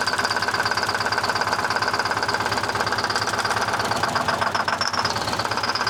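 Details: 1970 Peterbilt 341 with Detroit 6V71 two-stroke diesel, unused since 2018, described as blown up; steady, fairly even knock about three a second over engine drone; injector found fine, swap planned to confirm, cause not pinned down.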